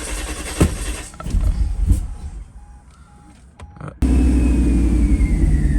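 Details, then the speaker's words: 1991 Mercedes 500SL R129 widebody V8, after distributor cap and rotor cleaning and cam sensor change, later in the day near warm: starts right up, steady even idle, no misfire or throttle hesitation; previous hard-start/stalling issue appears resolved. "Guys, this is later on in the day and it started right up, no issues, idling pretty good, no hesitation on throttle, doesn't seem to be misfiring, and this is about how it idled prior to having the issue."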